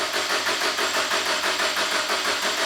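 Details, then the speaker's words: Subaru with a freshly rebuilt STI EJ20 short block, first cranking with ignition disabled to prime oil: steady starter cranking at about six or seven pulses a second, no firing. Oil pressure not yet enough to put out the light. "We don't have oil pressure yet. Or not enough to satisfy the light."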